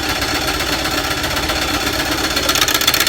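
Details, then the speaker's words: WWII Jeep (MB/GPW) with a clutch-driven Westinghouse T1 compressor inflating tires: noisy pump chatter about four beats a second, quieter unloaded and much louder and rougher as it compresses air into the hose. "You can hear it get quieter when it's not under load. But once it starts compressing air inside that air hose, you can hear it get really loud."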